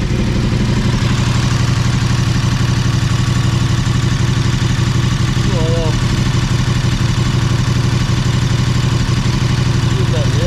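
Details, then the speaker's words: KTM 1290 Super Adventure S at nearly 20,000 km, restarted after topping up Castrol 10W-50 synthetic oil with a new KTM filter: steady, even idle pulsing about four times a second with a deep throb, oil light out quickly; healthy idle. "we'll give it another start up and see what the oil levels sitting up so here we go again ignition on"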